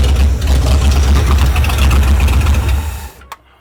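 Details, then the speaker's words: 1973 Mercury Cougar, 351 Cleveland V8, just after setting timing and fitting new plug wires: a deep, lumpy V8 runs about three seconds, then fades and stalls; the owner suspects a bad cheap clicky fuel pump. "one thing I forgot about is this thing had one of those cheap clicky clacky fuel pumps on it so I think this fuel pump might be bad"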